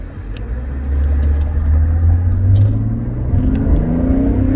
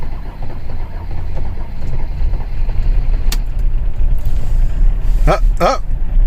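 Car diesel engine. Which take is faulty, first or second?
second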